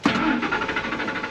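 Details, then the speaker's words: Truck with an intermittent hard start and no fault codes: engine catches with a sharp burst then stumbles through uneven pulses and stalls, restarts with gas; a second later starts normally; cause not yet found, fuel pressure to be checked. "So, there it goes. Hard [Music] start. Stalled out. gave it gas and it started. So, we're going to have to figure out why."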